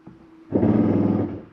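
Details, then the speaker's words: 2023 Jayco Northpoint 382FLRB, dinette slide-out retracting. A brief raspy buzz under a second long as the slide reaches full-in is the slide mechanism's clutch slipping at its stop. It is normal and not grinding, and signals to release the button. "don't worry that there's nothing grinding that is just a slide mechanism saying hey I'm in all the way let go of the button"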